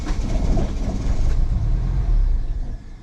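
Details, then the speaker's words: 2009 Mini Cooper S (R56) with N14 turbo engine, unknown history, bought cheap: catches and runs rough and uneven for a few seconds, then sags and dies; head gasket completely blown, likely needing cylinder head work. "So, as we saw, it does turn on. At least there's that. But the head gasket's for sure completely gone."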